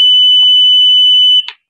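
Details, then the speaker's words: UPS circuit board with a continuous long-beep fault: a steady multimeter continuity beep of about a second and a half across a desoldered MOSFET shows it is shorted and must be replaced. "একে অপরের সঙ্গে এখানে আসছে short দেখাচ্ছে"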